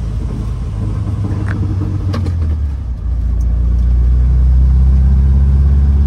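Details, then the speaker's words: 1967 VW Type 3 Squareback flat-four with a new Pertronix SVDA distributor, retimed including vacuum advance, after the first break-in oil change, on a road drive: steady drone climbing smoothly as the car pulls away, no misses or knocks; normal running under load. "yeah everything seems to be running pretty smooth let's go this way"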